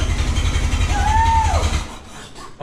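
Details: 1912 Oldsmobile Defender, about 113 years old, cold and unstarted for about six months, cranked by hand: a few rough low firings catch with a brief rising whistle, then the rumble fades within two seconds; it fires but won't keep running.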